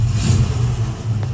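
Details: 1968 Ford Mustang with rebuilt 302 V8, 5-speed, Edelbrock carb, full-length headers, 2.25-inch dual exhaust with H-pipe and Cherry Bomb Vortex mufflers, pre-warmed, idling around 500-600: deep, steady, throaty burble with an even beat, no miss or tick; healthy exhaust note.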